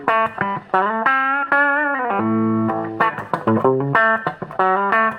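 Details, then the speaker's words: Dallas Scala single-ended budget guitar amplifier after repair, back in its case on its own speaker: clean plucked notes with even sustain, humming and breakup gone, only unadjustable background white noise remains. "quieter the humming's gone we've obviously got the white noise in the background which we can't turn down"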